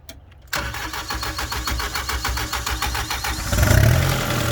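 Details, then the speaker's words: 2013 Vermeer SC602 stump grinder, rebuilt Cat 2.2 L 3024C diesel with rebuilt injection pump, 1,040 hours on meter, under an hour since rebuild: short crank, catches at once and settles into a steady, even idle clatter; healthy start. "Cat 2.2 liter 3024C, solid engine. You hear it when we fire it up, sounds good."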